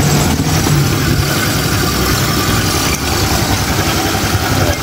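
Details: Honda Click 150i scooter after overheating with coolant lost and thermostat bypassed, now overhauled and coolant refilled: starts on one click, steady, even single-cylinder putter with no tapping or rattle. Normal idle.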